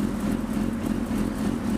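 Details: 2005 Suzuki GSX-R600 idling in neutral after clutch cable adjustment (previous owner said it was stretched; top adjuster was out): quick, even four-cylinder idle, smooth steady hum, no knocks or clatter. Normal healthy idle.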